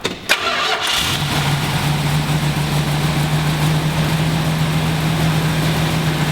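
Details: 1970 Dodge Challenger T/A 340 V8, first start after nine years in storage, not yet warmed up: short crank, catches quickly and settles into a steady even idle with no lifter clacking and no fuel leaks.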